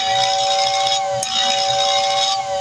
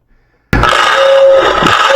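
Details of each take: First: Lionel air whistle after cleaning the brushes and oiling the armature shaft: a strong, steady two-note whistle with airy hiss, clean and full-voiced, much improved after the repair. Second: Lionel O-gauge steam locomotive's motor-driven air whistle: it cuts in and holds a steady, reedy tone without the whistle button being pressed. Suspected stuck relay; not confirmed.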